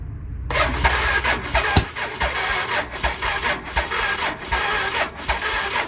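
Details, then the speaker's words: 1983 Honda Shadow VT750C V-twin project, first start attempt on auxiliary fuel tank with choke on: starter drags slow and laboured with no catch; battery too weak to spin the engine. "the battery is definitely not good there's no way I'm gonna have to put a different battery on it there's no way that sucker's starting on that battery"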